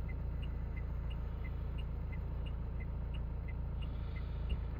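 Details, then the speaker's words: 2017 Mercedes Vito diesel van that had just pulled away, running away: roars at a steady flat-out pitch with no throttle changes until it stalled. "That's what you call a runaway diesel."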